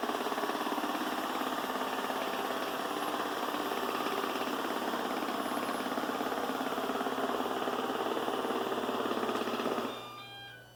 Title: Ecovacs Deebot N79S Loud Noise